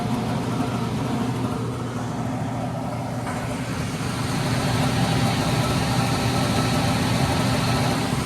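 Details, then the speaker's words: Carrier oil-fired furnace in commercial warehouse, fan wired directly to 120 V bypassing failed control board: loud steady rushing roar with rough low rumble; blower motor sounds worn, to be replaced along with the board. "turn it on tell me how it spins sounds like douche sounds terrible though"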